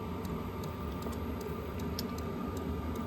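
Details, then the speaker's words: Smaller Hcalary diesel heater running: steady airy blower whoosh with only a faint light tick underneath; quiet fuel pump masked by fan air; the other unit's pump was noisy; running normally. "I mean, if you listen real close, I can't hear it because the wind is going through, the air is blowing through here. There's a fan here, and the air is blowing through, and you can't even hear it."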